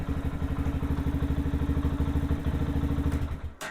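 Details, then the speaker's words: Lifan KPM 200 single-cylinder motorcycle idling after a battery replacement, charging at about 13.6 volts: settles into a steady, even thump after a blip with no misses or rattles, a normal idle. "The voltage regulator is taking care of the amount of voltage that it wants to send to the battery, so it's doing its own thing. 13.6 is what it looks like it is."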